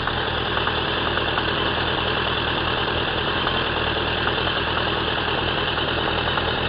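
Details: Suzuki Bandit 1200 K3 with 29k on the clock, warm idle: a faint, loosely regular knock about twice a second. It is present only when warm, unchanged with the clutch pulled, inaudible under load, and has worsened over a year. Cause undiagnosed.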